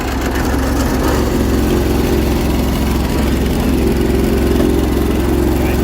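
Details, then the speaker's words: Roughly 40-year-old 1980s machine, restarted the day after a run: uneven, lumpy idle with a loping beat around three per second, sounding like it's running on only one cylinder; rough running. "running on one cylinder sounds like it's running on one cylinder"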